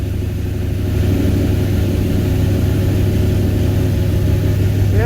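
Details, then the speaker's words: 1978 Ford Courier with a rebuilt carburetor and a newly installed electric water pump starts very quickly in cold weather and runs with a smooth, low, even rumble, no ticking or knocking; normal running. "okay I forgot this thing starts right quick I always forget that I did this carburetor pretty good"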